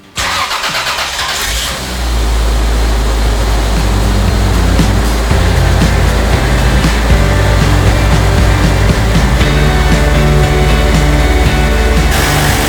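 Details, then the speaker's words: Toyota Chaser JZX100 first start after fitting new VVTi solenoid and rebuilt VVTi gear, still cold before warm-up drive; cranks, catches quickly, settles into even steady idle with no knocks or ticks; normal start and idle. "not gonna get any weird sounds yet we need to get the car really warm and up to temperature but everything is sounding pretty good so far"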